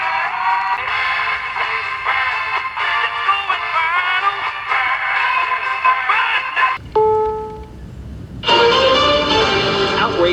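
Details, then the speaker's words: Philco T66 or Zenith Royal 80 vintage pocket AM transistor radio after repair, working with what controls it has: station audio comes through clear and full, with no hiss or crackle, and the set is clean and sensitive. "this is actually a pretty kick-ass little radio it actually sounds clean no noisy but it's clean and sensitive"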